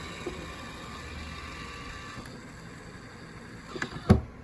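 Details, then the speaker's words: Fan-Tastic Vent RV roof fan (pre-2014 model) after lift motor replacement, testing retract mode: faint low motor whir for several seconds, then a couple of soft clunks as the lid seats; retracts normally. "Now let's see if the retract mode works."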